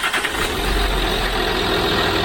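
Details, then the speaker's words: 2006 Land Rover Discovery 3 diesel after a new trigger wheel, second startup with no cylinder 4 injector fault: steady, even idle with no stumble, all cylinders firing normally; normal idle. "That sounded more normal. It's good."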